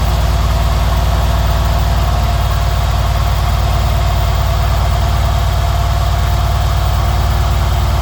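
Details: Mercedes CLS/S/CL/SL/E/GL/ML class engine at idle: loud steady idle with fast even tick about three or four a second; source of tick unknown.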